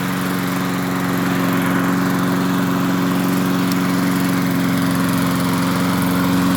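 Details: MTD 22-inch push mower, model 11-A084E029, after the spark plug wire was hooked up: a steady, even drone at constant speed with a clean tone and no misses. Owner notes slight vibration, suspecting a bent crankshaft from the blade's condition.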